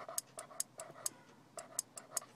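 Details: Radio turn-off delay board, a latching relay spliced into the driver's door trigger wire in the kick panel area: faint, crisp clicks several times a second over a quiet background as the relay latches normally off the door.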